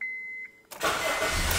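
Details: 2009 Honda Civic with an intermittent immobilizer starts-and-stalls fault: after reassembling the key cover, a couple of chimes, then the starter catches and the engine fires straight into a steady idle; a normal start.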